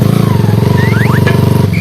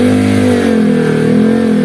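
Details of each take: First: Honda Sonic motorcycle engine being revved before repair: thumping single-cylinder beat with a thin whine, likened to a whale, rising and falling with engine speed; gear whine from the primary drive gear. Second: Honda Sonic engine in trail-bike build, after fix to reduce gear whine: revving in blips with only a faint high whine rising and falling with revs; whine now acceptably mild.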